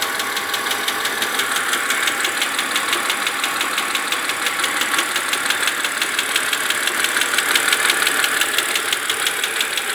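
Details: BMW Z4 E86 2.5i 177 hp idling with fast, even metallic ticking, about three ticks a second; unchanged after switching oil from 0W30 to 10W40.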